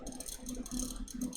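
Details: Custom watercooled PC (MSI Z390, i9 9900k, 2x RTX 2080 Ti Sea Hawk, EK RGB fans): light, fast plastic rattle in short repeated bursts over quiet hum, like a fan blade or housing buzzing; cause suspected, not confirmed.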